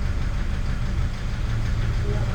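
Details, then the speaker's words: Toyota Vigo 3.0 diesel pickup at idle, after rail-end sensor and SCV replacement: heavy uneven low rumble with knocking and shaking; scanner data shows poor injectors, cylinder 3 deviating most, cylinders 1 and 5 also flagged. "แต่ปัญหาที่เจอตอนนี้คือเครื่องยนต์มีเสียงเขกแล้วสั่น"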